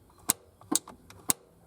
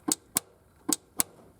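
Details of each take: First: 1971 Triumph GT6 MK3, Laycock D-type overdrive, gear lever moved to the 3rd/4th position so the inhibitor switch allows engagement; three sharp, crisp clicks about half a second apart in a quiet cabin: overdrive solenoid engaging normally. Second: 1971 Triumph GT6 MK3, Laycock D-type overdrive that only worked in 4th and rarely in 3rd; in 3rd, pushing the support pillar gives four sharp clicks in pairs as the solenoid drops in and out: misadjusted inhibitor switch cutting the overdrive.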